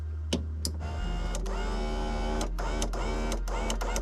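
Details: 1989 Toyota van, replacement power window motor (regulator) from an earlier-model van, bench-tested plugged in: smooth, even electric whir with clean on/off clicks, steady pitch; normal operation.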